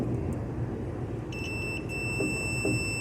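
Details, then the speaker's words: Samsung 11 ft refrigerator that won't start: multimeter continuity test on compressor motor coil; steady high beep over light room noise shows continuity, coil not open; ground test follows. "they are open at least the coil is not open now we are going to see if it is grounded"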